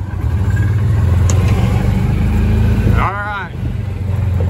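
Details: Club Car golf cart after throttle cable adjustment and governor de-restriction, test ride on a hilly course: steady low engine drone at an even pace with no knocks or misses; normal running, judged souped up and good.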